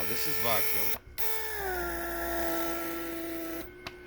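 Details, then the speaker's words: Mercedes W140 PSE central locking vacuum pump after repair; steady motor whine easing lower as vacuum builds, then clean shutoff without cycling; vacuum holding, no internal leaks. "so in this department vacuum is holding on fine so there is no there are no internal leaks inside the pump"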